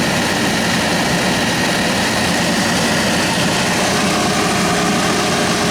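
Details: Saab in winter cold, blower just freed from an ice jam: loud steady fan hum with gritty flutter of ice bits tumbling in the blower housing, dashboard shaking; debris rattle from ice, blower still works.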